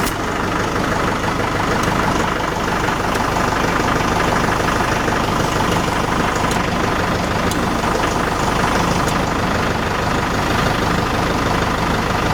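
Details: Tractor diesel idling evenly while the three-point hitch lowers the newly attached CountyLine post hole digger, just after locking the PTO shaft collar on. No misses or knocks; normal idle.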